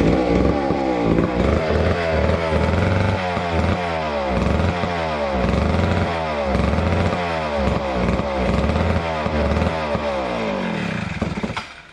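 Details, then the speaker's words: Neglected old McCulloch Super 250 chainsaw revived: engine revs up and drops back cleanly over and over, picks up quickly without bogging, then shuts off; purring along and running well. "as you saw with the 250 we got it up and running really nicely it it purred along and um seemed to run fairly well"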